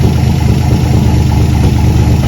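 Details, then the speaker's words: 1954 Chevy pickup farm truck, unused 30-some years, idling smooth and steady on a boat tank (fuel pump won't pump) after points and wiring work; running really nice, normal idle. "anyway we hook the boat tank to it and it's idling running really nice it's amazing except for 30 some years starts up and run"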